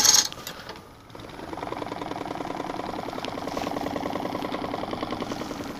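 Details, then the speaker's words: Lathe remounting a dried, warped green-wood bowl in big chuck jaws, flattening its bottom with a 1/2-inch Carter and Son bowl gouge: fast, even ticking at about ten hits a second over spindle hum; interrupted cut on the uneven bottom. "okay first we're gonna get this bottom flattened out now we don't need to make it perfect and make sure that i'm staying snug on my big jaws here there we go okay yep just making a little noise"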